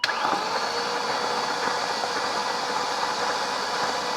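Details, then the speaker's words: Abandoned BMW Alpina B10 4.6 V8, unrun about 12 years: starter cranks steadily over four seconds with no firing, fuel gauge reading zero; no fuel delivery. "I am released the fuel pump and as you can see it is definitely it's a sender unit and fuel pump and it has definitely been a fuel pump too long"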